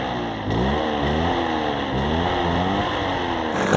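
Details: Old Japanese chainsaw after carburetor cleaning and reassembly with air filter and cover fitted: steady buzzing two-stroke note, climbs cleanly on throttle with no stumble; runs fine.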